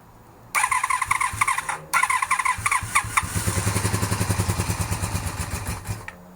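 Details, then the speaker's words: 1982–83 Honda V45 Sabre V4 with carburetors, no choke, being debugged for a no-start: catches, stumbles, runs rough with lumpy uneven beats, not on all four cylinders; carbs starved of fuel. "Okay, so it starts. Doesn't sound like it's running on all 4 cylinders, but it starts."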